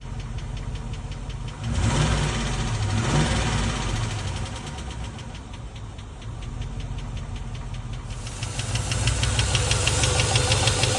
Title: Land Rover Disco 1 - 4.0l Lifter Tick / Rocker / Knock Sound (What Is It??)